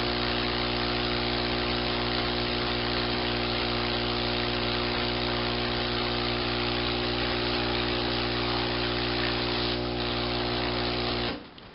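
Even, steady electric hum with a constant pitch for about eleven seconds, then it cuts off; the pump is drawing air normally.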